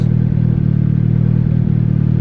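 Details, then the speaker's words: Budget turbo Honda Civic single cam on new 1500cc injectors, tune adjusted, after a drive with idle air-fuel ratio around 13.5-14: steady low idle with small periodic dips every second or so; owner suspects the injectors, not confirmed. "Still oscillates a little bit. Not a fan. Could be the injectors though."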